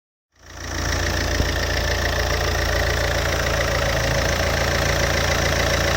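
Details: Alfa Romeo 147 JTD 140 diesel, cold engine at idle: steady clatter with a faint regular knock about four times a second over the drone; cause undetermined.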